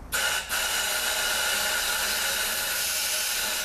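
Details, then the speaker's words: 6L50 transmission rebuild, air checking the 1-2-3-4 clutch pack with new overhaul-kit sealing rings: steady loud hiss of escaping air, no thump of the clutch applying; rings leak, fixed by reusing the original rings. "and now we're going to do the 1 2 3 4 and I'm getting absolutely nothing I have this trigger totally pulled and I'm getting"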